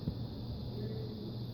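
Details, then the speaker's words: Electric fireplace blower motor after fix: squirrel cage had migrated so fins rubbed housing, gap reset with spring clip; now runs with steady low hum, no squeal or scraping. "so now I'm testing the fan you can see the little spring clip just sitting there spinning the distance there before we had the problem with the fins hitting the housing"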